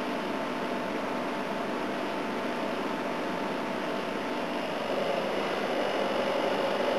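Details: A/C unit on high fan, starting to freeze up, with head pressure: steady even airflow hiss with faint compressor hum, no rattles or knocks; healthy, running normally.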